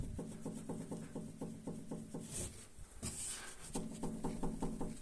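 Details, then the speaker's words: Passat B6, knocking at front over small bumps; car lifted, sway bar end link rocked up and down by hand gives quick hollow clunks about four a second — worn end link, to be replaced. "беру рукой стойку стабилизатора И вот так вот вверх-вниз Вот этот бряканье по всему"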